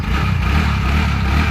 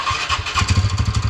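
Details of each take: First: TVS Ntorq BS6 scooter after repair of an engine noise earlier traced to the magnet side: a steady, even low idle with a soft, smooth rumble and no knock or tapping; normal idle. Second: TVS Ntorq BS6 scooter just after start-up: a quick, steady tak-tak knock about eight a second rides over the idle, coming from the engine's magneto side; loose magneto-side nut.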